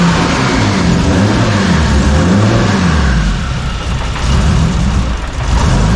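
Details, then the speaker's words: Engine after warped intake manifold repair and fresh plugs, running on a Haltech base tune: revs up and down cleanly with a full, even exhaust note, no stumble or misfire; now firing on all six cylinders. "But I don't know that it sounds like it's running on a lot more cylinders now. I don't know if it's running on all 6, but."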